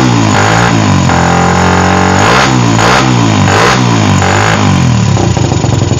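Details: Suzuki Satria FU with PE carburetor, formerly hard to start especially cold and stumbling, after a larger pilot jet and new carb rebuild kit: fires readily and revs cleanly in quick blips with no stumbling.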